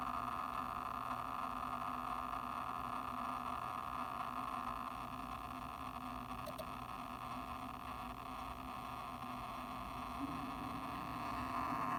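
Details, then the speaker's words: New Seagate Expansion 12TB external drive (internal Seagate Exos X16 12TB, made 2020/08), mic held close during quick scan error test: steady whirring hum with uneven fluttery chatter, only during read/write; abnormal noise, cause unclear. "读写的时候会有声音，但是如果没有读写的时候不会。然后最好玩的是，如果我是 run error check speed test 的时候啊，那个声音超级明显。"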